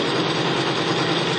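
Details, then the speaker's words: Bearing lubricity test rig, electric motor spinning a race bearing against another bearing in plain pump diesel, no additive: harsh steady rasp over motor hum right from start-up, metal grinding on metal from poor fuel lubrication. "Right away you can hear it grinding the metal against the metal."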